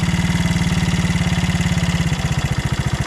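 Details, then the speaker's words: 1975 Honda CB125S barn-find motorcycle showing 1161 miles, which doesn't smoke and was restarted after months unused. The single-cylinder idle thumps fast at about 3.5 beats a second, then slows as the idle is adjusted down, showing it was set too high. "we're all idling a little high let's see if i can adjust that idle down a little"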